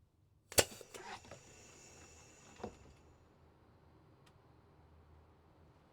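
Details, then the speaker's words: Van Hool T812 Alizee 2 bus door valve, Bosch 0 481 500 007, rebuilt with the repair kit part, air pressure on: one sharp snap with a short burst of air, a softer second puff, then quiet with no lingering hiss; no leak after repair. "Okay, nothing is leaking out. That's good. And it still works."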